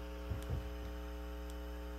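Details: Fender Silverface Bandmaster amplifier, believed 1972, with noise complaint: constant low 60 Hz mains hum with a buzzy edge and brief crackles at the start; hum suspected from faulty normal-channel input jacks.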